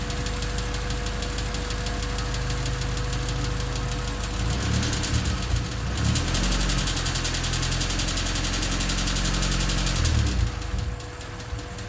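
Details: Honda D16Y8 four-cylinder running with a new header: steady rapid chatter about three to four ticks a second that quickens with throttle; stethoscope places it in the head near cylinders 1 and 2, valves suspected rather than rod knock.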